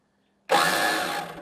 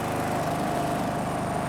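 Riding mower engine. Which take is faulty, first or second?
first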